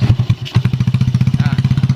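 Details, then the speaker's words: Yamaha Jupiter Z after fixing lost ignition, new spark plug fitted, engine started: steady, even low putter at a quick idle with no misses or knocks; the small single now runs cleanly at normal idle. "oke teman-teman, mungkin teman-teman bisa lihat sendiri, bisa dengar sendiri, sudah bunyi motornya. Dan tadi awalnya tidak ada strum sama sekali ya, dan sekarang sudah bunyi."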